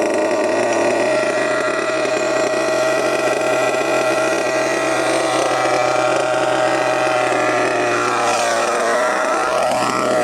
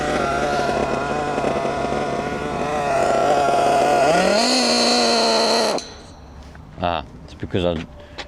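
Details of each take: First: HPI Savage GT6 with F4.6 nitro engine after needle set 2½ turns in from original 1½: high, steady, even buzz with no sag or stutter; pulls cleanly with corrected mixture, gear changes now working. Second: HPI Savage GT6 F4.6 nitro engine after the low-end needle was richened to cure sluggishness. It burbles at low revs, picks up only slightly, then cuts out. It is sluggish because the low-end needle is now too rich.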